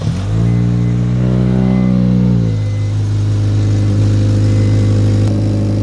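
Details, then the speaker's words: Modified Acura RSX K-series before tuning, with larger throttle body, ported intake manifold and lightweight crank pulley: a sharp throttle blip, revs hang about a second and a half before slowly settling to idle; suspected from the modifications, unconfirmed. "okay so how it idles now and this is probably due to the larger throttle body and intake manifold porting uh it just kind of like hangy he has a lightweight crank pulley I think he said which also makes it like a little bit rev happy"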